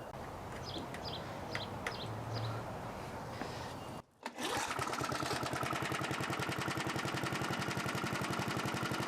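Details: 1982 John Deere 21 SP lawn mower engine after refurbishment with new old stock points and condenser gapped to .020: after a pull it catches and settles into a quick, even putter at steady speed; normal running.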